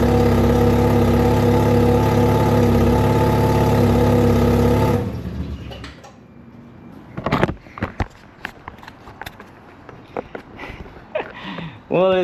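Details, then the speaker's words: First start of freshly rebuilt Mazda RX7 FC 13B NA rotary on old spark plugs: catches and runs evenly about five seconds, then cuts out abruptly; won't stay running, cause unknown. "started, but the idle's rough, so I got to figure something out. I'mma just open up the idle fully. See if it'll hold idle."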